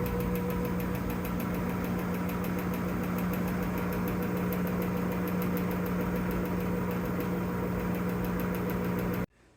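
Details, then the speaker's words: Old washing machine on fast spin, fine during the wash cycle: steady knocking about four times a second over the motor hum; the basket shakes because worn strut dampers fail to hold the basket. "I think what ends up happening is as it spins faster and faster on the spin cycle the stabilizer struts that are inside that hold the basket in place either there's one or maybe they're all worn out and you can hear that"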